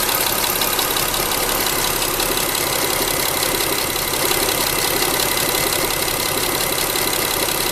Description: This is the horrible clacking sound of a failing Timing Belt Hydraulic Tensioner in a Mitsubishi Endeavor with a 6G75 engine (V6 3.8L ci 3797cc MFI GAS SOHC).